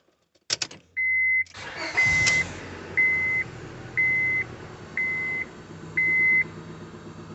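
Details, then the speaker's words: 2001 Honda Civic (D17A) after replacing the ECU fried by voltage spikes from a loose alternator, with temporary matching key and immobilizer: quick crank, then a steady idle under a once-a-second chime. Normal start after the fix. "i believe we got it fixed so alternator got loose and spiked the voltage which caused the ecu to short out and it still cranked but it would run like crap"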